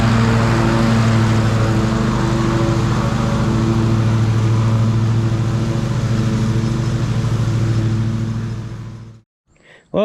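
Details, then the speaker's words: Ariens riding mower model 93606800/A25KH54 after drive belt replacement: small single-cylinder engine running steady and even, no belt noise, then shut off; drive runs quiet and smooth. "everything seemed to work fine. It was good and quiet. So, that was the main thing. I could hear that belt making noise before and now it was good and smooth."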